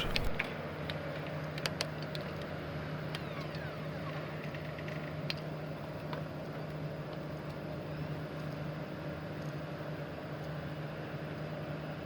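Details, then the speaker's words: PS4 Pro (first-gen CUH-7000 series) after heatsink dust cleaning and fresh thermal paste, previously loud and overheating to shutdown: soft, steady low fan whir with a few light clicks at start, running much quieter than before; normal quiet fan running. "but as you can hear it is already running a lot quieter than it was before"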